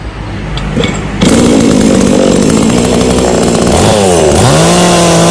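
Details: New, unboxed Kratingdam (Black Bull) TOP 6000 two-stroke chainsaw with a new air filter, longer conrod and 45.2 mm two-ring piston. A loud raspy buzz climbs, dips and revs back up cleanly; normal, healthy revving.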